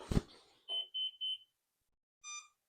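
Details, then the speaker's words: Flywing Bell 206 V3 RC helicopter controller, GPS unlocking in flight being investigated: three quick high beeps then a lower beep in a quiet room; owner unsure of its meaning, thinks it may say to disconnect the battery. "now that beeping is because um from the uh baseball park to back to my house uh it took a while so um it's just letting me know that the helicopter is is still on so a reminder to turn it off unplug it"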